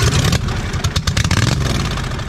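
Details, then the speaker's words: 2007 John Deere Z425 zero-turn with replacement Briggs & Stratton engine (44S977-0032-G1), first run after fresh oil, muffler not yet fitted; loud, raw, low popping open-pipe exhaust, revving then steadying; runs fine, just unmuffled. "it's got gas in it now it's gonna be a little loud too"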